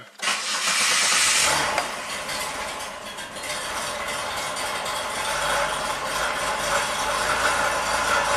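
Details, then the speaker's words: 2003 Pontiac Grand Prix V6, 325k miles, long crank, hesitation, P1635 5V reference and P0107 MAP codes: cranks and catches fast, then uneven rough idle; EGR valve suspected faulty. "okay it's a little [Applause] unhappy keep in mind the EGR valve might be messed up"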